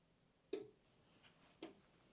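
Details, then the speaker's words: Mecpow MP30 tumbler heat press heating up: two sharp relay clicks about a second apart as the sensor-controlled relay switches on and off to hold 180°, normal thermostat cycling. "you can hear it clicking that's the relay so it uh there's of course a a sensor so we will keep it at 180° so now it's on and off on and off to uh keep it at 180°"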